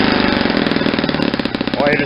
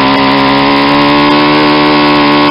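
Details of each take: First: Saito 50 four-stroke model engine, first run after a ring and bearing rebuild, APC 11x7 prop, 10% fuel, needle set very rich for run-in; uneven blubbery burbling with popping and heavy smoke. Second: Saito 50 four-stroke on its first run after a new ring and bearings, turning an APC 11x7 prop on 10% fuel: the needle is leaned out to a high, steady buzz near peak rpm with less smoke, then it sags; probably leaned too far for break-in.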